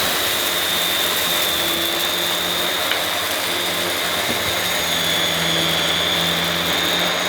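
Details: Refurbished used Dyson DC21 Motorhead canister vacuum, bought smelly and damp, motorhead working carpet; constant high-pitched motor whine with airy rush, steady and even; owner thinks the powerhead sounds better than the DC23; normal running.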